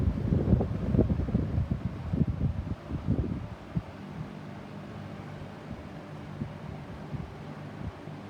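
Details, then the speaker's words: Vintage 1970s Eskimo 20124 fan, switched from high down to low speed: under gusty air noise a steady, loud low electrical buzz becomes apparent, reportedly worsening over time; motor winding buzz from damaged windings. "take it down low the bus starts to be apparent now it's really loud a buzz"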